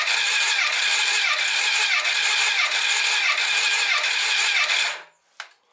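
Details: 2008 Honda CBF1000 no-start on jump pack, key on: starter cranks evenly about three beats a second for five seconds, never fires; fuel pressure, pump, ignition and diagnostics checked fine, plugs had been swapped; cause suspected, not confirmed.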